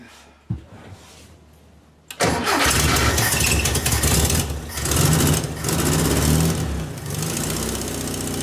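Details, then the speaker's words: VW Beetle with newly installed Pertronix distributor and coil, timing being adjusted: engine fires abruptly after a quiet stretch, then runs loud and uneven, surging and sagging every second or so; rough idle, cause not confirmed. "See if it's getting worse. What do you think, guys? I got one firing."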